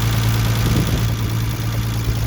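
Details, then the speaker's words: 1972 Triumph TR6 after an engine rebuild, carburettors balanced and set at maximum rich yet still reading slightly lean: a steady, even idle with no misses or knocks. It runs unusually smoothly, which the owner credits partly to the fuel pump giving consistent supply. "Like, it's only idling. Um, I know usually I've never seen them run this smooth unless it's fuel injection."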